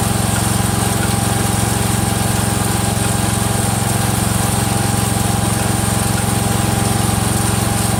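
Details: Freshly rebuilt Kohler single-cylinder engine in a Cub Cadet 102, steady idle with an even click about four times a second from the front pulley coming apart; the rod is not loose.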